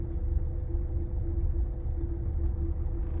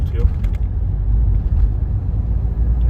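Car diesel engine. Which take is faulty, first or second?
first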